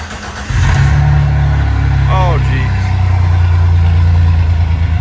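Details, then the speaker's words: Jeep XJ 4.0 being rebuilt, started with the exhaust removed and only the cat fitted, fuel pump regulator still needed: engine catches and settles into a very loud, raw, booming unmuffled idle, like a straight pipe 4.0. "Yeah, that sounds like a straight pipe 4.0. So, just want to let that start it up and see what it sounds like."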